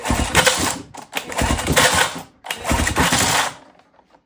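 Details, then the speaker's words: 1977 Johnson 9.9 outboard, sat unused for years, hand-pulled during spark test: three pulls turning the engine over without firing, each dragging and slowing near its end; owner thinks recoil pull-start needs cleaning or service. "I'm struggling with the pull start. So, it's it works for the most part, but you can see kind of towards the end, it really goes slow."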